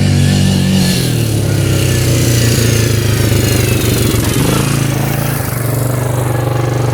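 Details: 1998 Yamaha Grizzly 600 4x4 ATV at speed after repair, formerly would not exceed about 10–15 mph: single-cylinder pulls strongly and evenly, no bogging or cutting out, easily going 55; runs the way it should.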